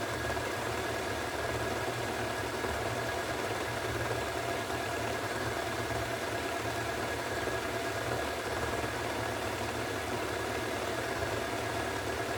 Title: Hoover Extra Wash Spinning at 1400RPM (Nearly bad bearings)